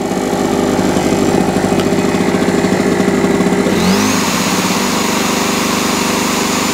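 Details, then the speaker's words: Small camping leisure generator after carburetor clean and new spark plug, restarted on choke: even, steady beat, settling smoothly after a brief change partway through; healthy stable normal idle. "Plucked out by myself, given a new lease of life, quick little carburetor clean, a new spark plug, and away it all went."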